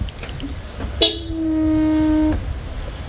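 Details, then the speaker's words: Next Gen Ford Ranger due for its 15,000 km service: a low, steady moan lasting about a second, likened to a blue whale. It is a niggle that has recently developed. "I just want to show you one of the niggles that it's developed you guys hear that sounds like a blue whale in making season"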